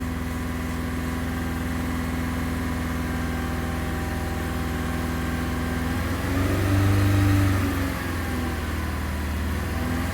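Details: Diagnosing P0304 #4 cylinder misfire on a 2000 VW Beetle 2.0L petrol four-cylinder using VCDS: idle has a slightly uneven, stumbling pulse from one misfiring cylinder.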